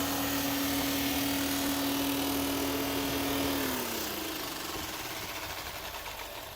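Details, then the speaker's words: Car cooling fan with a worn bearing, worn by age and use or by fan imbalance, which can let the fan shift when moved: a steady droning hum with one fixed tone that sags away as the fan spins down. "Si pasa esto, podría haber desplazamiento al moverlo y podría escucharse algo así."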